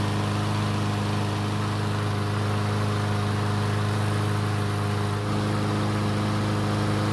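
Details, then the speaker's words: Troy-Bilt walk-behind mower that would not start after winter storage, test start after repair: steady, even drone with a clean hum and no hunting or surging; runs normally, though it began burning some oil about 20 seconds after starting. "luckily the engine started and ran just like it's supposed to"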